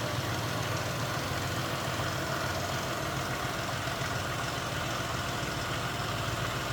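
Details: 2000 Cadillac Eldorado ETC, 62,747 miles, 4.6-liter V8, no warning lights, hood open: even, steady idle with a soft hiss, no knocks or ticks; nice and quiet, nothing out of the ordinary, healthy.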